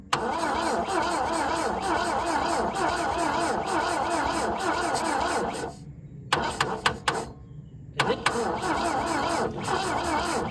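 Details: 1966 Volvo Amazon 122 estate, long abandoned, first start attempt with stuck, dirt-clogged carburetors: starter churns at a steady rhythm, pauses, cranks again, but the engine never catches; crank no start, owner suspects it needs fuel down the carbs.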